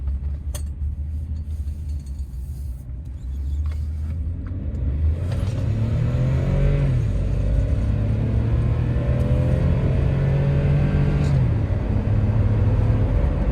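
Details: 2013 Ford F-150 3.5 EcoBoost, 175,000 miles, after replacing all spark plugs and #3 ignition coil that caused bucking and misfires under load: deep even pull rising smoothly under wide open throttle, no stumble or missing; normal acceleration.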